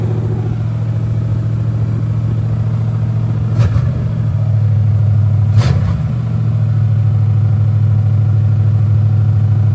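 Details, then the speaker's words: Monte Carlo SS V8 after engine rebuild, first fire-up, stock cam, about 300 hp, in neutral; deep even burble holding steady with a couple of quick blips, no ticking or knocking; healthy normal idle. "The car it fires right up I'm talking about a man and it sounds great. Sounds good don't have a cam in it."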